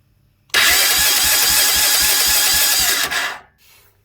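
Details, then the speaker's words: Honda Big Red 300FW ATV cranking with the ignition on and the plug lead off, mic near the starter: about three seconds of harsh, loud whirring with a steady low pulse. The cause turned out to be a flat battery. "Right, it sounds to me like it's coming from the starter motor or some of the mechanism very close to the starter motor itself."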